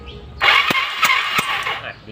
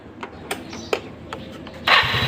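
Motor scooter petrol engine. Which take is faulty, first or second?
first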